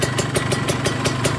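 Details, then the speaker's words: Kawasaki Ninja 150 two-stroke at idle: sharp, regular clicks about five or six a second over the idle, seemingly from the cylinder head (top end), not the exhaust; cause suspected, not confirmed; exhaust smoke fairly thin, filter fitted, before warm-up run. "Suara berklik itu sepertinya berasal dari area mesin , teman-teman. Ini adalah suara saat tidak aktif. Sepertinya sumbernya berasal dari kepala , kawan-kawan."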